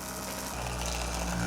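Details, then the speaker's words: 1994 Saab 9000 Mark IV ABS pump motor run on bench power after bearing pressed in, not fully seated, socket slipped during pressing: steady hum with rough gritty buzz, possibly worn or misaligned bearing, cause unconfirmed; owner thinks it will work. "that doesn't sound good when i was pressing it down it stay in there the socket must have slipped over a little too far that doesn't sound much better now does it"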